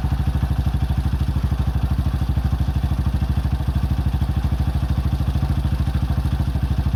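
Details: 2005 Honda CRF150F after valve adjustment and carburetor tune-up, during carb adjustment: a steady, even thumping idle with a regular beat and no stumbles or misses. Running cleanly.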